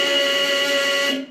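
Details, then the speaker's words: 2017 Bomag BMP8500 roller's very loud job-site warning horn, hooked up during throttle solenoid adjustment and fuel filter change; a loud steady tone holds about a second then cuts off; horn working normally. "me hook up their really really loud horn course that's essentially required for all the the work sites all right loud noise"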